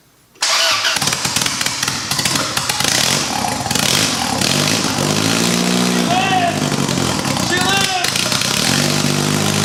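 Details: Rebuilt turbo Honda Accord (CD5) engine on first startup with only bare essentials, open exhaust and no intake piping: catches after a rough start with a little gas, then a lively idle with clean rev blips and no misses; healthy.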